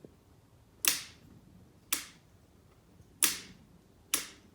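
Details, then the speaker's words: Yamaha YFZ450 rebuild with new starter and starter solenoid, solenoid wiring reworked: four sharp dry clicks about a second apart with no cranking; starter solenoid clicks but motor does not turn. "It clicks. I don't know why, but listen to this dog."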